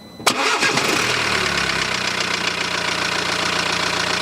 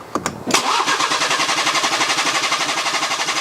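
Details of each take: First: BMW diesel just after installing a refurbished engine, initially a little rough; cranks and catches at once, then settles into an even, steady idle with no misses or knocks and no exhaust smoke; sounds like a new engine. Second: BMW with refurbished engine just installed, first start: fires almost at once then idles unevenly with a lumpy, wavering pulse; owner suspects air still in the fuel system, and it ran smoother shortly after.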